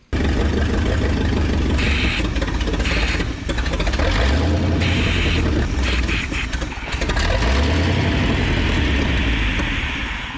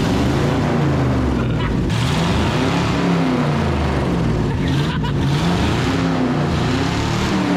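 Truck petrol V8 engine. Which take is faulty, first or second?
first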